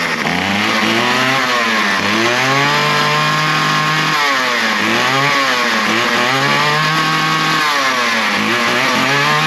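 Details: Small two-stroke trimmer started on half choke as fuel came through: it revs up and falls back cleanly several times, holding a steady idle between. It needed no repair and runs healthy.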